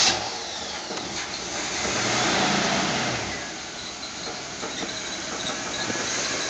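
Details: 1985 Chevy Caprice Classic, 305 V8 with 4-barrel carb, about 88,000 miles, cold start after several pumps of the throttle: starter cranks briefly, then a fairly even steady idle with loose front-end rattle; normal start.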